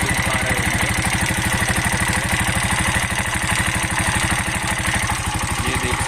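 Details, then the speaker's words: Bajaj BS6 CNG auto rickshaw, started in neutral and revved: quick, even metallic tap-tap tick on each turn over the engine, sound changed from before; loose valve tappet clearance needing adjustment. "इस गाड़ी में जो है एक tappet का जो है टप टप टप टप आवाज कर रहा है।"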